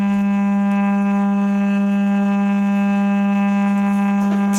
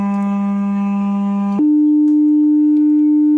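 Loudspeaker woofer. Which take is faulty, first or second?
first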